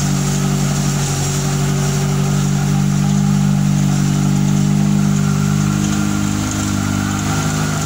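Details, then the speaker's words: Fiat Tempra 2.0 16V, first start of the day, cold, hood open: loud, uneven mechanical clatter near four beats a second over a droning loud exhaust; owner wonders if bearing, piston or a simple bearing of some part, cause unclear. "Tempra de munição 16 válvulas fazendo aquele barulho absurdo no motor"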